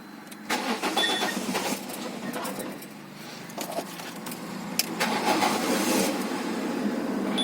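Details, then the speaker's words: 2005 Peugeot 307 1.6 petrol with a Bosch ME7.4.5 ECU that was locked and caused a no-start: after the ECU is unlocked, the starter cranks briefly, then the engine catches and settles into a steady, even idle with no misses or knocks. "Πήρε μπρος. Αυτό ήταν ξεκλειδωμένος εγκέφαλος Mi E745."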